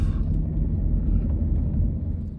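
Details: 2004–2011 high-mileage Nissan Murano while driving: a deep steady rumble and grinding at road speed, suspected worn wheel bearing.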